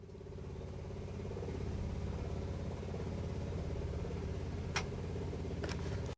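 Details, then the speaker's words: 1966 Chevrolet C10 pickup with air bags, after fitting the fuse: low, even buzzing hum with faint quick pulsing and no engine firing, the electric fuel pump priming and running as it should; carburetor secondaries still weak. "now if i did my work correctly we should hear the fuel pump work and we do"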